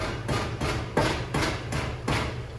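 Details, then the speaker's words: 2014 Nissan Xterra exhaust kicked by foot gives sharp tinny clanks, about two a second. The factory band clamps have rusted away and the heat shield rattles; the fix is replacing them with hose clamps. "Factory band clamps have rusted away, allowing the shield to rattle and create all kinds of noise."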